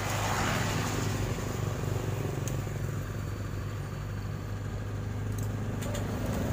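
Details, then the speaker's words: 2018 Honda Vario 150 whose starter only clicked at the relay by the battery, after cleaning the relay with contact cleaner: starts and settles into a steady, even low idle without stumbling or clicking; fixed. "Langsung aja kita coba bismillah alhamdulillah ya kita starter lagi matikan terdengar Mas Bro statennya alhamdulillah sudah bisa"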